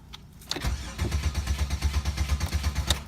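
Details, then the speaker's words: 2007 Chevy Monte Carlo 3.8, crank no start: a click, then steady cranking at about three pulses a second that never catches; anti-theft system suspected. "so we got to crank no star on a 2007 mining Carlos get the blocks on the car which is the anylock system"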